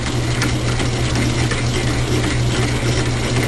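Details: Logan lathe turning a medium-carbon railroad-spike bar with interrupted cuts. Loose, irregular change-gear clatter over a steady hum while the spindle turns; the homemade idler stud at the back had loosened and was wiggling, later tightened.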